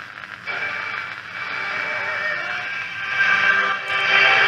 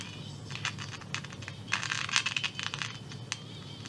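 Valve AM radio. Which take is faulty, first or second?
second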